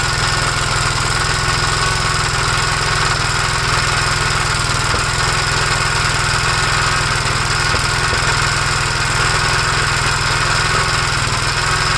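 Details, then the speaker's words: 1956 Gravely L single-cylinder tractor with the carburetor from a 1957 LI fitted, choked at start. Runs with an uneven, loping beat about three per second instead of a steady idle. Carb proven good; owner suspects over-revving from the governor damaged the head gasket or something else. "no okay so we know this carburetor is good there's something else WR with the engine"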